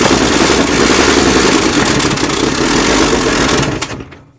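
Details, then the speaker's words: 1957 Chevy 210 after sitting 50-60 years, first start with a gummed-up, hand-choked carburetor: loud, uneven, lumpy chuffing that fades as it dies. Rough running; timing sounds retarded and needing more advance, possibly also a carburetor issue. "Well, it sounded a little bit retarded timing to me. I think we still need a little more advance on it, yeah."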